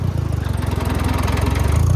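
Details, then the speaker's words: Farmall 404 tractor after clutch repair, reassembled: pulls away in gear with a low, even engine chug and steady firing pulses; clutch engages cleanly with no noise or chattering, goes into gears without problem. Normal running. "We got the clutch, no more noise, no chattering. Goes into gears, no problem."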